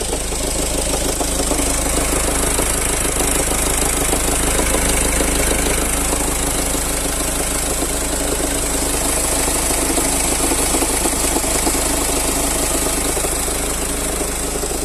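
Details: Ford Focus 1.5 TDCi diesel at idle: steady metallic clacking rattle at about three knocks a second, also noted when the clutch is pressed; diagnosed as a defective dual mass flywheel with failing internal springs.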